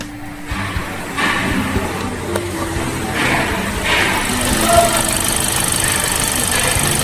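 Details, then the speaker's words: Hyundai diesel that misfires only at idle and runs clean when revved, with no DTCs and injectors checked and swapped: idle stumbles unevenly with irregular dips and knocks from an exhaust valve not opening properly. "यह गाड़ी missing कर रही है idol में only तो कभी भी आपके पास कोई डीटीसी नहीं आती है"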